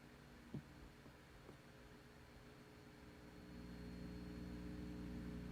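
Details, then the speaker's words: Modified 300B vacuum tube amplifier kit, amp open, volume turned up, before fitting a hum balance pot in place of fixed resistors: faint steady low buzzy drone; mains hum from unbalanced heater supply. "I turned up the volume. I had this kind of hum. So I had to catch the hum first,"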